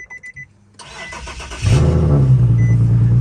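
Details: Infiniti G37 started after battery reconnected and jump-started, unstarted for about 1.5–2 weeks: a few dash chimes, short crank, engine catches, flares briefly and settles into steady even idle; normal engine start.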